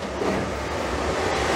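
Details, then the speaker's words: Suburban RV furnace after replacing a bad, barely turning fan motor: steady even roar of burner and fan, lights right up, no squeal or rattle. "it lit right up did you hear it or was i jibber jabber you hear it burning smells good looks good sounds good"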